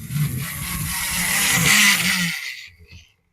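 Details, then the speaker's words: OO gauge locomotive running faster over newly powered sidings points: loud harsh scratchy whir rising with speed then cutting out; owner suspects dirty rails, and track there moves up and down. "Yeah, loud. I probably just need to clean the rails over here."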